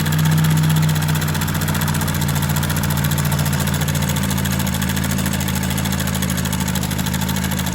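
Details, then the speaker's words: Honda motorcycle at a steady idle with a light, fast rattling chatter from the top end: the cam chain is loose. The engine is also lubricating too little, so the oil pump and oil passages are to be checked. "De cara, pessoal, já verificamos que a corrente de comando tá folgada, ó."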